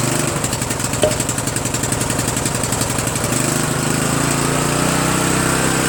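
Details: Murray 14.5 42" Widebody LT lawn tractor single-cylinder engine after muffler refit, carburetor adjustment and choke linkage cleaning: catches and settles into steady even beat, no missing, knocking or exhaust rattle; normal running.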